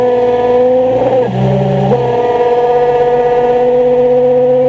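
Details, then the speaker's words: 2003 Nissan 350Z at idle: a steady high squeal that appears when the clutch pedal is pressed and stops on release. It gets louder when pulling away until the pedal is fully out; the owner suspects the throwout bearing. "it's my 03 350Z got a bad clutch squeal going on sounds just like a throw up bearing going to let you guys have a listen see what you think also you will hear the squeal when I press the clutch in when I release it the clut the squeal stops"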